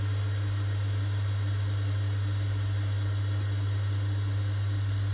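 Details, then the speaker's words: Vaillant Ecotec Plus 637 system boiler after a faulty gas valve was replaced, previously showing F28/F54 ignition failures. Steady, even low hum with no flutter, popping or surging as the gas valve opens and the burner lights and runs cleanly. "as you can see this is what we should be getting when the gas valve opens up and there is Fire"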